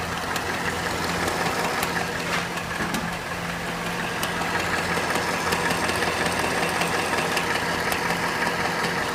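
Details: Cadillac Northstar 4.6 V8 at hot idle: a light, fairly regular tick of about three per second rides over an even idle; intermittent clicking only when hot, cause unknown.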